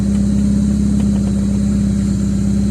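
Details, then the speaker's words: Car after fitting a relay to the starter motor, air filter not yet fitted, just started: steady, even idle with a smooth low hum and regular firing, no knocks or misses; running healthy. "เดินเรียบนิ่งดีนะครับ"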